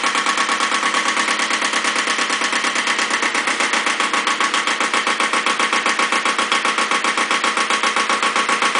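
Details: Second Iseki tractor diesel, possibly KE70, started at 70°F after glow plugs, low power and weak below about 1000 rpm: hard regular knock about 76 per minute over the idle; cause unconfirmed.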